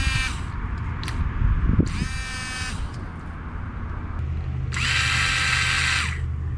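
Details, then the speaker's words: Windshield washer pump bench-tested straight from battery leads in a cup of water: small motor whines in short high-pitched bursts, spray intermittent; owner later suspects clogged nozzles, not confirmed. "we know the pump's kind of working. Seems like it's kind of intermittent, because like it's spraying it sometimes."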